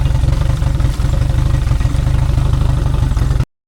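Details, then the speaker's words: 2002 Yamaha 90hp carbureted outboard, sat two years, idling at spec 800 rpm: fast even pulsing beat with a brief stumble; owner suspects a carb screw needs adjusting. "So, I got it idling to spec right now. It's a 800, but there's a little You can hear that there's a little hiccup."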